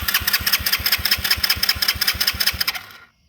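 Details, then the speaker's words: Tao Tao ATV with spark and stator within spec, fuel switch on and fuel flowing: starter spins the engine at a steady, even chug with no firing, then stops; cranks but won't start, cause unknown. "so i'm guessing everything is hooked up right but for some reason with spark we don't it won't start"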